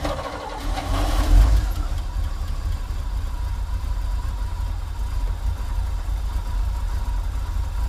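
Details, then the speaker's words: 1980s Chevy K30 dually 4x4 dump truck, long parked, restarted cold on pretty old gas after topping off brake fluid; cranks, catches, settles into low, slightly uneven, wavering idle; rough while still cold. "a little rough but it's still cold so let's give her a minute to warm up and see how she does"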